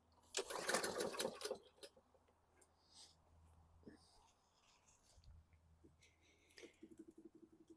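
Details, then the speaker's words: 2014 Bolens 21" mower, Briggs & Stratton 500E 140cc, new carb and recoil fitted, fresh gas, heavily primed: rasping recoil pull, brief sputter, then silence with faint ticks. Cranks but won't start though it ran before; owner considers valve adjustment. "it started before with that carb now we don't have anything we got fuel I primed the heck out of it"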